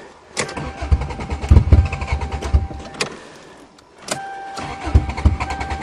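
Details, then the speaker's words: Toyota GTS cold start in December snow: several bursts of starter cranking with brief pauses, engine never catches; owner suspects no exhaust/back pressure makes it hard to start in the cold, not confirmed. "Cars with no back pressure and no exhaust are always hard to start in the cold. Oh, I don't believe it. This is going to be two Toyotas that don't work?"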